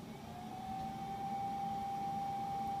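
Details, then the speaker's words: Small blower fan on a forced-air woodgas camping stove, turned to maximum while burning: thin steady whine climbing briefly then holding one pitch over low burning rumble; normal fan at full speed. "so there's the fan going sort of on that's our that's as high as it'll go"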